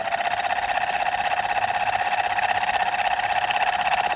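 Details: Ceiling fan running with steady hum and even rapid knock about three per second; bearing loose in its seat.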